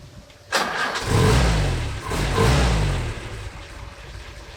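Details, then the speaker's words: WWII Willys jeep, CJ replacement block with about 12,000 miles, hot restart: warm petrol engine leaps into life almost immediately, blips twice, settles to a smooth steady idle; healthy, tight engine. "much newer and much tighter it just leaps into life the other one it did leap into life but it's a little bit more sedate than this"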